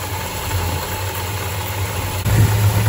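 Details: 1968 Dodge Charger 383 big-block V8 idling with a loping, uneven, lazy beat after carb passage cleaning made no difference; vacuum gauge reading looked bad, timing next to be checked; rough idle, cause not yet confirmed.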